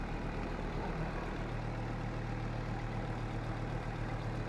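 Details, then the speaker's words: 1996 Volvo 850 idling after battery replacement (MAP sensor replaced earlier); even, steady idle with no knocks or misses, check engine light gone, no blow-by at oil cap, engine not yet warmed up. "So, yep. She's running good now. Check engine light went away."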